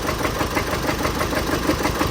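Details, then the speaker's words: Chevrolet Colorado Z71, 2.5 diesel, 5-speed manual with engine shake: a rough idle with irregular knock and uneven shake under the clatter. Scanning found the cylinder 2 injector faulty, so the fuel injectors are failing; an alternator circuit code was also present. "เดี๋ยวค่อยดูหัวฉีดสูบที่2เป็นปัญหานะฮะเดี๋ยวเราดูตัวนี้หัวฉีดนี่เสียนะฮะ"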